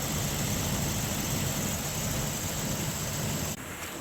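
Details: 2004-2006 Dodge Durango 5.7L after replacing the old alternator with a unit from a 2008 Ram: steady, even low idle with smooth rumble, no whine or rattle; now charging over 14 volts; normal idle.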